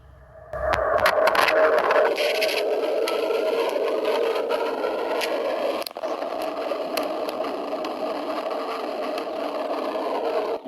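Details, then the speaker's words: Swimming pool with a cracked skimmer body and broken skimmer line, listened to with a microphone dropped into the skimmer: steady hollow rushing roar of water escaping through the break in the pipe; leak confirmed. "can really hear that water rumbling through that brake in the pipe."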